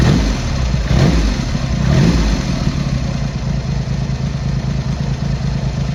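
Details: Triumph Hurricane X75 triple, not fully warmed up, after carb rack rebuild, pilot screws richened and left carb adjustment corrected: two quick blips then low, steady idle without hunting or missing; running better, slightly rich off idle.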